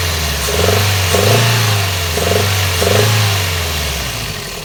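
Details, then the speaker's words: Toyota 2NZ-FE engine with timing chain checked as fine, a valve replaced and its screen cleaned: revs up and down with a deep rumble swelling on each rise, also heard climbing hills under load, sometimes more, sometimes less often; cause not identified. "и этот звук он как на высоких оборотах появляется такой урок а вот так же появляется когда идешь в горочку под нагрузкой двигатель тоже издает такой звук"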